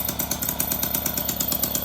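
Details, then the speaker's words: Motobecane two-stroke moped with its carburetor's idle screw turned down about as slow as it will go, rear wheel not engaged. Slow, even putter at about eight pops a second, steady and unbroken: healthy, stable low idle. "Right here's our idle adjust. Probably as slow as it'll go, actually."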